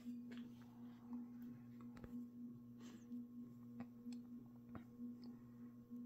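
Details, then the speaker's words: Mid-to-late-1980s 56-inch industrial ceiling fan, possibly HRS, with a cast-iron motor, rebuilt with new bearings after being locked up; a steady 60-cycle buzz with occasional dull clunks, which the owner suspects comes from a loose fit of the top motor half in the bearing. "so you can kind of hear that this fan does have a 60 cyclic Buzz going to it and I think that is because of the fact that that the top half of the motor is not a very tight fit where it sits into the bearing"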